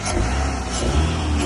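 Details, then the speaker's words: Hurricane-flooded, fully submerged drive-by-wire Pontiac Solstice starting for the first time after a battery replacement. It runs with an even low rumble and a slight rev, no misses, knocks or rattles: running beautifully. "I cannot believe it. It's running beautifully."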